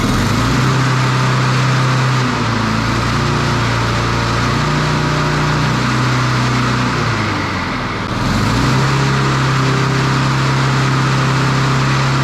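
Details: Standard push mower single-cylinder engine after a broken governor arm spring fix. Steady drone sags briefly, then settles at a higher, busier pitch. The spring was moved one notch, only a couple of mm, and the engine now overspeeds.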